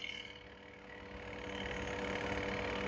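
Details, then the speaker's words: Candy semi-automatic washing machine on spin cycle, whose wash motor has a sticking bush fault; steady low hum with an even whirr building smoothly as the drum speeds up, no rubbing or knocking, spin motor running normally. "spin cycle actually no any issue. It's working fine."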